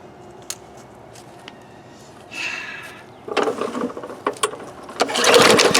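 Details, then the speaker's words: Discarded Bolens lawn mower with Briggs engine, fuel in tank, primer bulb, air filter and cover missing: five rope pulls spin it with a whirring rasp, never fires; cranks but will not start. "Well, we gave it 5 pulls and it did not run."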